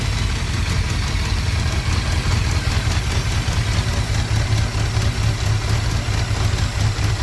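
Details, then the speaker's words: 1981 Honda Goldwing with a single-carb kit, started after fixing a vacuum leak and priming the fuel pump with the ignition off. Easiest start in a long time. Low, steady rumble with even beat, no hunting; idle slightly slow, needs carb tuning; normal idle. "i'm not going to lie that was probably the easiest it started in a long time"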